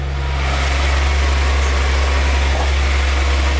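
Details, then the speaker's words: 1987 Jaguar XJ-SC 3.6 AJ6 straight-six, manual, sports exhaust, about a minute after restart following an oil change: even, steady low hum settling off high idle as it warms, fan whirring, no knocks or misses. Good oil pressure; normal idle. "And it's starting to go off the high idle now a little bit, starting to warm up a bit."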